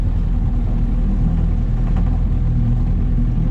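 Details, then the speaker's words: Outboard motor on an auction boat, first lake test run at full throttle: ragged, uneven drone, misfiring, spitting and sputtering; owner suspects it needs carburettor work and adjustment, cause unconfirmed. "That's full throttle again, so you can hear that thing misfiring and spitting and sputtering, so probably just needs a bit of adjustments."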